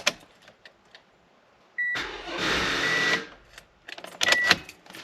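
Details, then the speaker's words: 2015 Toyota Sienna with a completely dead battery: turning the key gives a short, feeble electric whir of about a second, then silence, because there is too little amperage to crank the engine over. "so that's the sound of your your engine start trying to turn over the uh the engine but it's not able to do that so at this point the best batter is completely dead"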